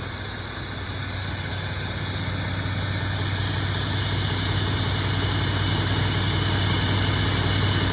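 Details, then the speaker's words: Mack MP8 diesel truck, first start after replacing all injector cups and injectors: deep, steady idle with an even low rumble and no misses or knocks. Healthy idle. "oh yeah yeah yeah I forgot about that D that sounds awesome this thing sounds really good"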